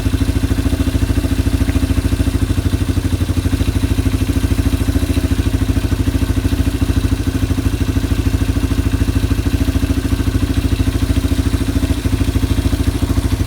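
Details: Yamaha ATV (four-wheeler) idling after carburetor cleaning and float adjustment, new air filter being fitted before the air box lid goes on. Steady, even single-cylinder putter, regular beat, no stumbling or surging: normal idle.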